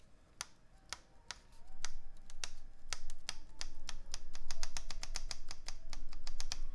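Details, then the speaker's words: Space80 keyboard with polycarbonate plate, GMK Apollo keycaps, broken-in NovelKey Creams and lubed TX clip-in stabilizers, a bit over-lubed: crisp irregular keypresses with a clean thock and no tinny rattle on long keys; stabilizers without rattle. "this one's a bit over lubed but it'll soften up at least no rattle okay no rattle on this"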